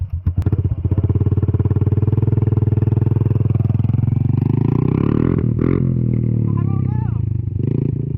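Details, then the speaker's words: 110cc pit bike, just washed: revs up then stumbles and fades before sputtering on, bogging at wide open throttle; riders suspect water in the air box, fuel pump also raised, air filter not dirty. "You got water in the air box. That's what it is. That's exactly what it is."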